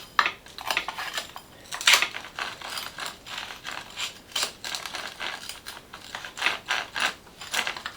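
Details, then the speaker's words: RC car "Big Mama" rear drivetrain turned by hand during reassembly: uneven scratchy, ratcheting grinds in bursts with each turn. The owner suspects the next bearing is about to fail; not confirmed. "Dis donc, c'est pas fameux le bruit là-dedans, hein. Oh, oh, oh, oh. Je pense que c'est le prochain roulement qui va sortir, hein."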